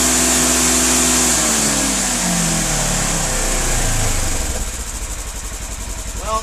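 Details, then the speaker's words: 2016 Polaris Ranger 900 XP after being sunk, water drained from engine, airbox and muffler, fresh 5W-20 oil: engine catches, flares, settles to steady even idle with no knocks or misses; running okay. "looks like she's okay we're gonna do leave this all in there probably for about a couple engine hours"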